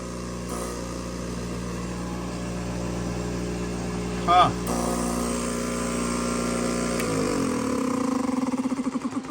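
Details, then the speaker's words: Fluoromizer 3500 refrigerant recovery machine, roughly 40 years old, condenser never cleaned; builds good pressure and suction. Compressor restarts drawing 4.5 amps against a 5.6-amp rating. Steady, even motor hum without knocks, winding down smoothly; sounds healthy. "hey you can hear that thing go restarts 4 and 1/2 amps supposed to be 5.6 amps"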